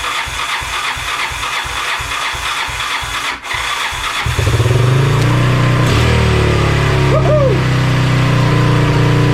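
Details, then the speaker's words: 1985 Honda ATC200X with rebuilt Honda TRX200SX engine swapped in, first start with rebuilt starter: chugging crank, then catches and holds fast idle with sharp backfire pops; throttle slide not closing fully, causing high idle. "Yes, it sounded good except for that backfiring."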